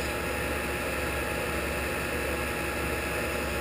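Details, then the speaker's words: Shopsmith 10ER with Leeson 3/4 HP 2500 rpm DC motor and KBMD240D controller, low range around 1,000 rpm (100 to 2,000), pulleys trued and statically balanced: steady even hum, no knocks, rattles or whine; quiet and smooth. "1,000 nice quiet and smooth"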